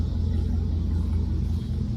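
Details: 2001 Chevrolet Suburban V8 after a tune-up with new spark plugs and wires to fix a misfire: deep, steady low rumble at idle with an even beat and no stumbles or misses; sounds healthy.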